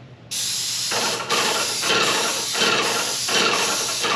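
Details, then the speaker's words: Paint sprayer with a good tip kept at low pressure: steady hissy spray with a soft pump pulse roughly every half second; even atomizing, sprayer working normally. "you want to be able to spray a consistent uh coat with the lowest possible pressure"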